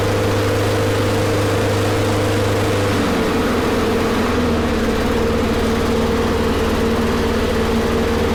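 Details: Snapper mower with Briggs & Stratton engine after fixing a no-spark fault: steady, even single-cylinder drone that drops slightly in pitch and settles; running smoothly.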